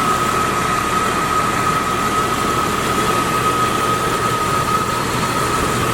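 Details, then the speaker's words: 2001 Jeep Cherokee Sport 4WD, 20 years old: smooth even idle with no knocks or ticks, faint steady accessory whistle; headers and header gaskets quiet, no oil leak. Engine sounds healthy. "So as you can hear, the engine is very quiet. Headers are quiet, header gaskets are quiet, there's no oil leak."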